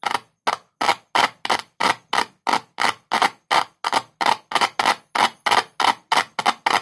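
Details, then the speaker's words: 6-inch speaker with a large magnet tested with a single cell, one wire end on the cell and the other tapped: crisp, even, loud clicks about three a second, nothing scratchy, as the cone moves back and forth; coil and cone are healthy. "और इससे screen आगे-पीछे भी हिलती है। Screen हिलती है, इसी वजह से ध्वनि उत्पन्न होती है।"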